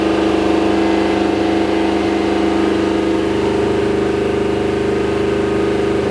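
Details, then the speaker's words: Rebuilt big-block Mopar 483 stroker for a Dodge Power Wagon, held near 4,000 rpm: steady high-rev drone with uneven stumble as the timing mark starts bouncing; suspected ignition misfire from distributor timing scatter. "the timing mark is not bouncing at 4 grand it's starting to bounce and I think I can hear it you know cuz it sounds like it's missing"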